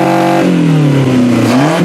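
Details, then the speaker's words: 1991-1996 Toyota Camry wagon engine running on an untested stand-alone wiring harness: clean rev rising, easing off and picking up again, crisp with no misfire or rattle; normal running engine. "well it's running good and I'm pretty happy about that"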